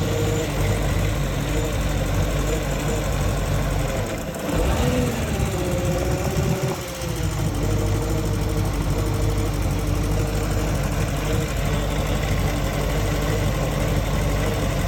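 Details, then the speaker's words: Indmar Monsoon 340 boat V8 with MEFI-4 ECU: idles with repeated large hunting corrections, and on revving it runs rough with pinging, knocking and a soft rev limit. A corrupt ECU is suspected. "At no point in time could you rev up this engine without experiencing pinging, knocking, and almost like a soft rev limit, which I can put a video up here of what that sounds like."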